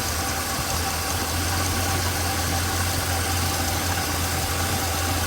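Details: Small-block Chevrolet 350 V8 after rocker tightened until clatter stopped then three-quarter turn (factory spec): smooth even low rumble, no valve clatter or ticking. Normal idle.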